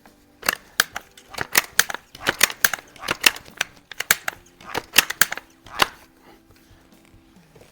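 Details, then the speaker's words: Seneca Dragonfly Mk2 .22 multi-pump pellet air rifle at the range: a run of sharp, uneven popcorn-like pops crackles for a few seconds right after the shot, then dies away; possibly valve chatter. "that is funny that little little bit of pop pop pop right at the end almost kind of sounds like popcorn popping in"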